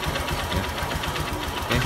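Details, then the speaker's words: Honda Verza after repair of a scored piston that caused clattering and white smoke. The engine now idles smoothly and evenly with a light, quick, regular tik-tik tick from the injector, normal on Verzas and not a problem. "masih bunyi cuma ini suara mythic suara tik tik tik itu ada bagian injektornya ini injektor karena Verza itu kebanyakan injektornya bunyi tapi itu nggak jadi masalah"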